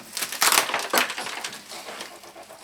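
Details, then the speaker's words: Sharp bursts of loose clattering each time a National RX-5150 boombox is shaken on unboxing, like small hard pieces loose inside; the poorly packed set was dropped and smashed on a corner in shipping, and broken internal parts are likely. "What is that? It's like batteries in the battery compartment or or knobs or something."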